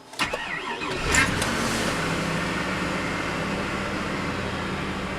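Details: 2002 Chevy Avalanche after sitting almost a week outside in cold, snowy weather: brief crank, battery possibly weak, then engine catches within about a second and settles into a steady, even idle; healthy cold start.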